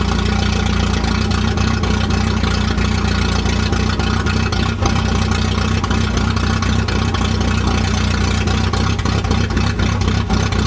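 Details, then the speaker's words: 1988 Volvo 740 GL at idle, exhaust missing about a quarter of its parts including the catalytic converter section ahead of the muffler: loud, deep, rough tractor-like throbbing with no muffling; exhaust leak. "But essentially, my exhaust doesn't make it from the front of the car to the muffler due to it essentially missing a quarter of the parts underneath, which makes it sound closer to a tractor than a sedan, which sounds pretty sick."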